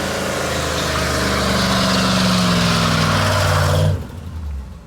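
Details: 1965 Ford Ranchero with a 351 Cleveland 4V and rotted, driveway-repaired exhaust: a strong, even V8 burble with a slight rising rev, running smoothly without misses until switched off.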